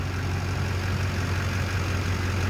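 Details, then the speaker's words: 2004 Duramax LB7 diesel after FASS lift pump install and fuel filter bleeding: steady, even low diesel clatter at idle with no misses or surging; idling extremely smooth. "It's idling extremely smooth. It is an LB7."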